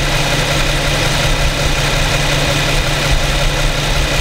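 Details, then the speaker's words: New 2015 Infiniti Q70 3.7 V6, about 1,300 miles, warmed up, idling in drive, recorded with a Rode VideoMic Pro: smooth, even low hum with a steady beat and no knocks or ticks; a quiet, healthy idle. "got more sound here from the Infiniti 3.7 V6 engine. Pretty quiet. This is in idle, in drive."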